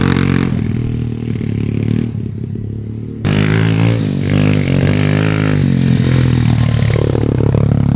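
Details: SSR110 (sold as a 125, possibly 107cc) pit bike single revving with a loose, uneven clatter on top; exhaust valve lash at least 1/8 inch out; engine only idled with zero power, head discoloured versus cylinder; mixture a little rich.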